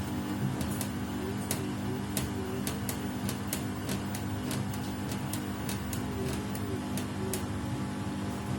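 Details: Samsung WW75TA046TE/SP washing machine, a same-model replacement on its sixth day of use. Uneven sharp ticks and clicks over a steady drum hum, louder than normal. The noise is abnormal and worsening each wash, and the cause is unclear.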